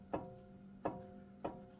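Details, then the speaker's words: 2018 Jeep Wrangler Unlimited Sport, passenger-side front axle: three sharp metallic clanks as the worn front axle universal joint, with visible play, is rocked by hand; it needs replacing. "See how you can hear that clanking? So, your universal joint is starting to go"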